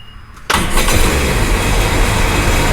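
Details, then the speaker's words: Sea-Doo Sportster/Speedster jet boat on a flush hose after refitting the original starter solenoid: engine catches after a short crank and settles into a steady even idle with no misses or knocks; now starts no problem. "so now it starts no problem"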